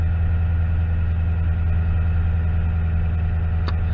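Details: 2009 Toyota Tundra V8, 110,000 miles, after repairing rodent-chewed knock sensor wiring harness causing VSC, check engine, traction lights and limp mode: steady even low idle, smooth unchanging rumble, no knocks or misses; lights went off. Normal idle.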